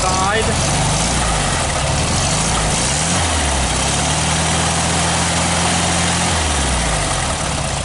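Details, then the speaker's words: 1969 VW Beetle 1500cc air-cooled flat-four idling after a cold start with a bit of choke; steady, even low chug with no misses or knocks, some hiss over it; normal smooth idle. "I just love this sound the air-cooled Volkswagen sound is music to my I don't know what do you think"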